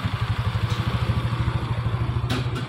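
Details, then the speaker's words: Fuel-injected motorcycle exhaust after replacing the battery, which caused a lit indicator lamp, sputtering and stalling at idle: even, steady putt-putt about ten beats a second, no stumbling or dying; normal idle. "di ini suara knalpotnya jadi suaranya sudah normal Ya langsamnya sudah normal"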